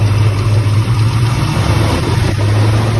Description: Chevrolet 454 with bad lifter tick and misfire causing vibration.